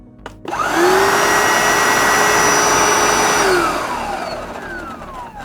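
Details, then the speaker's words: Hoover SD101 cordless vacuum after battery repack with fresh cells: motor whine rises quickly to a steady high pitch, holds evenly, then winds down smoothly; motor running healthy, repair successful. "the vacuum cleaner is working again."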